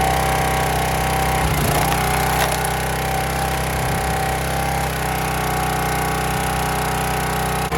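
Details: County Line 25-ton log splitter single-cylinder engine, bought as-is with suspected seizure; carburetor cleaned of rust and water, fuel tank drained and refilled, primed: runs steady and even at constant speed, no misses or surging, running properly now.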